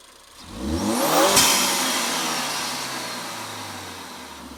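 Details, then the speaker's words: 2017 Ford Focus ST turbo with a newly fitted Green Filter performance air filter in the stock airbox: revs climb fast and clean, then drop off with a short airy bypass-valve whoosh as the throttle closes and pressure releases; healthy. "So with the intake installed, you can hear quite a bit of difference. The intake, you can actually hear kind of the bypass valve, a little bit of that whoosh noise as you let off of the gas and the pressure gets released."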